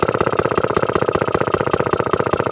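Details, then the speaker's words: 1954 Atco Midget lawnmower, fully restored Villiers two-stroke, first run after 10+ years, a bit smoky; idle set just above the lowest point, crisp regular popping about fourteen beats a second, even and steady; normal idle. "what a fantastic bit of kit super super happy with that just chugging away 1954 baby atko engine two stroker"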